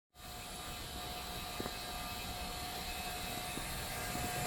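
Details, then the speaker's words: LG Multi V IV heat-recovery heat pump, 26-ton system with master and two slave outdoor units: soft, steady airy whoosh, no knocks or rattles; only middle slave running, fan turning just a few rpm, far quieter than a Goodman. "much quieter than a Goodman. That fan is just barely turning."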